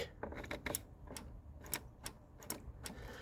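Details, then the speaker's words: Jaguar XJS 5.3 V12, TH400 automatic: kickdown micro switch on top of the engine worked by hand gives sharp dry clicks several times, showing it is adjusted and working; no click would mean it is out of adjustment. "click is the micro switch clicking. And if you can't hear that, it means that the switch is out of adjustment."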